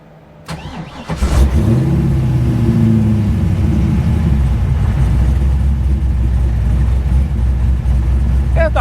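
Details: 416ci LS stroker in a Nissan S13, fresh engine, VEMS idle tuning after lowering the idle-valve hold and decay times: cranks and catches, brief rev flare, then settles to a smooth, steady idle. Healthy start.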